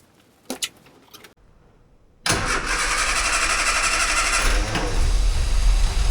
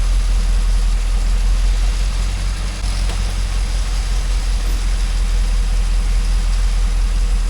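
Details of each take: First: 998cc Mini Clubman started for the first time in years: a few faint clicks, silence, then the engine catches and runs roughly for a few seconds before dying. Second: 998cc Mini Clubman started for the first time in years after refilling the carburettor float chamber: the engine runs steady and a little fast on choke with a deep, even low rumble and one brief blip.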